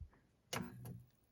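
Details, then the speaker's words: August 1984 Commodore 1702 CRT monitor, a curb find with water marks inside, first switch-on: soft thump and crackle, then a burst with faint high-voltage hiss, power light on; normal CRT power-on. "Sounds good. Got a power light, and we have high voltage. Okay, so I think it's running."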